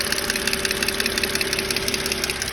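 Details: BMW 530i at idle: crisp, even hard ticking about eight per second, clearly above the engine hum; source not yet identified.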